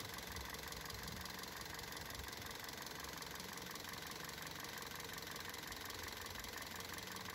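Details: Car running on LPG after replacing LPG injectors and LPG filter to cure idle fluctuation and loud injector noise: steady even idle with only faint light injector ticking; fluctuation gone, running smoothly.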